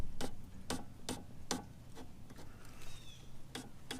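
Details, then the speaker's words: Mercedes front strut after a hard pothole hit: the spring is turned by hand, binds at first, then gives sharp uneven ticks and clicks; the top mount bearings were crushed. "so I grabbed the spring and I started turning it and the first thing I noticed is oh my god this thing is not turning then as I began to turn it more you'll hear a noise"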